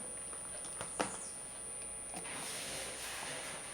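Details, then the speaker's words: Mini inverter (4.2V 1S LiPo to 220V AC via a resistor, mini transformer and transistor) driving a small energy-saving lamp: thin steady high-frequency oscillation whine. Output only about 111 mV. "Escuchen, voy a retirarlo. Ahí dejó de sonar. Nuevamente lo voy a poner. Se escucha la alta frecuencia con la que está oscilando."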